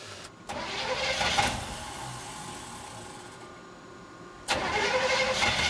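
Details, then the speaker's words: Squarebody Chevy truck with a new Gandrud small-block 350 crate V8, first start after install: it cranks briefly, catches cleanly, settles into an even idle and gets a quick blip; running smoothly while warming up and being checked for leaks. "All right. Nice. Sounds good. Just letting it heat up, make sure there's no leaks."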